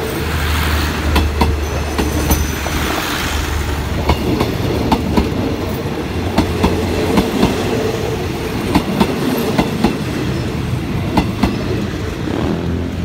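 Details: Express train 86 (Nakhon Si Thammarat–Bangkok) hauled by Alsthom locomotive 4152 passing Samsen Station, 8:10 AM: irregular heavy clickety-clack as wheels cross rail joints, each bogie giving paired knocks; normal rail-joint clatter.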